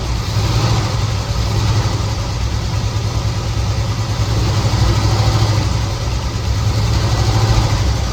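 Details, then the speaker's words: 1969 Chevelle SS big block, sat 37 years: lumpy, uneven idle with occasional stumbles, a dead-cylinder misfire. Exhaust pyrometer finds one cylinder coolest. "You can see the motor's not running near as smooth as it should, so we'll be back."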